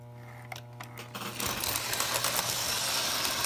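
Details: Lionel locomotive reversing E-unit after bending the pawl arm slightly outward so the solenoid plunger travels fully up: small motor whirr and light gear clatter with almost no buzz left; buzzing nearly eliminated.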